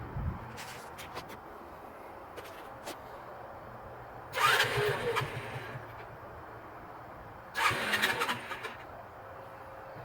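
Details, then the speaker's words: Kazuma Meerkat Chinese quad with Japanese carburetor, yard-sale find, cranked with choke on after carburetor cleaning: two short starter bursts, engine spins over but never catches; no-start, dry carburetor. "this is a real time i'm gonna leave the choke on just like burn that battery up"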